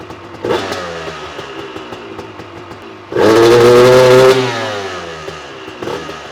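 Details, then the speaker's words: Honda CR250 supermoto two-stroke with a Mikuni carb, before the jet change: at 3/4 to full throttle it sputters out and won't rev, not a lean bog; little power up top. Owner suspects the main jet is too large. "so I'm gonna start the bike up and rev it up and you'll see that it sputters out and it won't want to rev"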